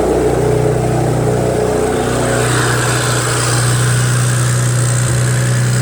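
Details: BMW 335i started from inside the car, with a charging malfunction warning: idle with an irregular stumble in its low rumble, plus a ticking; owner suspects a light misfire, unconfirmed.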